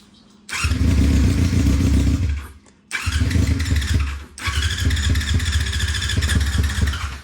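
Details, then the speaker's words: 1999 Yamaha R6 non-runner, carbs given carb cleaner, choke on: engine catches in rough uneven bursts for a second or two then dies each time; suspected fuel starvation from nearly empty tank, not confirmed. "I think we may not have enough gas in there, because there's hardly any in the tank."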